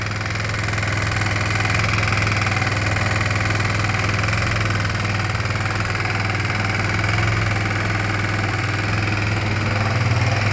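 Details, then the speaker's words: Kawasaki Bayou 250 ATV engine with a bad internal knock at idle, a steady thump with a rapid constant knock about four per second; valves and cam chain tension checked fine, carbon ruled out, owner suspects worn piston wrist pin or bushing. "I cranked it up a bro date and all but it's got a bad knock in the engine and I'm a crank it up where everybody can hear it"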